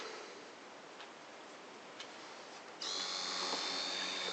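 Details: Bosch IXO lithium screwdriver that growls, whose battery measures about 165 milliohms internal resistance and draws about 8 amps: a thin, high-pitched motor whine rises steady and even with no growl or stutter; the motor itself sounds healthy.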